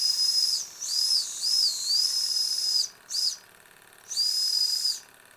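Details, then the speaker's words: Old Jensen toy steam engine from a swap meet, first run after years unused, running hot: a clear high whistle in several short blasts over steady steam hiss, pitch wavering slightly; the whistle works normally. "let's see if we can get the whistle to go you hear it now that's cool that is really really cool but boy it gets hot"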